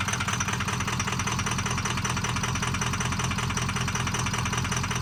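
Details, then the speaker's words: Ford 6.0 diesel F450 wrecker at idle during fuel pressure check: steady clatter with slightly uneven, loping beat; rough idle from low fuel pressure, fuel filter found full of rust. "was checking fuel pressure, so let me show you this clip of what the idle sounded like and what the fuel pressure was."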